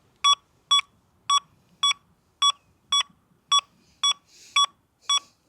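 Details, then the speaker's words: XP Deus II metal detector with iron settings, swept over a shovel: sharp, loud, identical high beeps about twice a second with no iron buzz; the forced-tone false signal that large iron gives. "And as you guys can see here, we got the shovel and this thing is going to sound off like no tomorrow."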